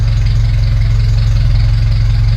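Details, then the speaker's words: Ferrari 308 after warming up and adjusting the mixture: a strong, even, low idle pulse with a steady beat and no misses or ticking; it idles smoothly and sounds right. "It sounds good right now, right?"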